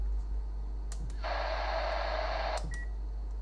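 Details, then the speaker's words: Kenwood TR-751 transceiver with a temporary 12 MHz resonator soldered in, heard on a receiver at 12 MHz: steady tone for about 1.5 seconds; oscillator runs again, fault was a broken resonator. "So, it seems we found the problem. It was the broken resonator."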